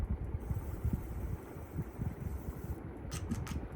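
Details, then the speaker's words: Unitedstar 24-inch high-speed industrial ceiling fan on low speed: soft uneven thumping ticks under a quiet motor hum; source unknown, bearings thought unlikely since hand-spinning doesn't reproduce it. "It does make a ticking sort of sound though. You can hear that. I think it's this."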